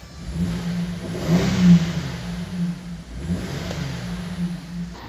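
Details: 2007 Chevrolet Caprice 6-cylinder after a cylinder 6 misfire code (P0300/P0306) repair: revs up twice smoothly and settles back each time, clean pickup, no stumble; misfire suspected to come from the fuel pump.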